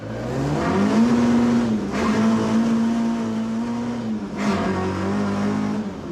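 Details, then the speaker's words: Ford Escort, driven with fast gear changes. Revs rise and drop quickly through each shift with no grinding or crunch. Clean gear changes. "No crunching at all, even though I'm changing gear really fast."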